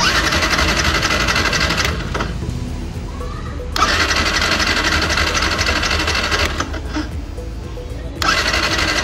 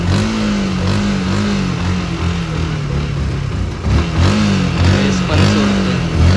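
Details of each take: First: Yamaha R15 motorcycle cranks with steady rapid starter churning, about four beats a second, in repeated bursts without firing; fuel pump fault, pump not delivering fuel. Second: Yamaha R15 motorcycle after fuel pump problem: engine revs up and drops back in repeated blips and pulls cleanly without stalling or sputtering; fuel pump now working, running normally.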